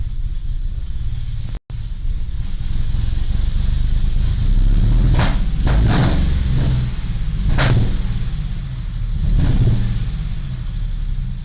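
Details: 2005 Mustang 4.0L V6 with 63,000 miles: lumpy, uneven idle with loud exhaust backfire cracks on small throttle blips; started after a cold air intake and tune were installed; RPM surges, the catalytic converter glows red, and new plugs, wires and coil pack didn't fix it.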